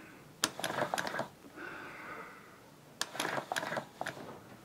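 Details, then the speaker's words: Player piano air motor that sat unused in one position for years, sucked evenly through a vacuum hose: bursts of rapid soft clattering that surge and stall, turning unevenly. Loping from fly-back. "so you can see that it's not turning evenly and even though I'm sucking very evenly in fact you can even hear it oh"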